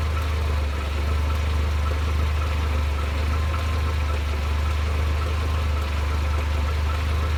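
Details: Mercedes SLK 230 (R170) with strange noise only when engine is hot: steady low drone at idle with faint rhythmic knock, cause unclear; fuel use, acceleration, smoke normal; new water pump, thermostat, belts, engine and transmission mounts, oil changed 1000 km ago.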